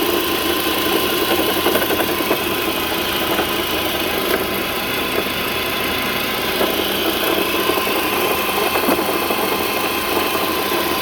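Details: Car engine at steady idle with a faint, irregular light tapping over the hum, coming from a previously rebuilt alternator about to fail completely, not the engine; after replacing the alternator the engine sounded right again.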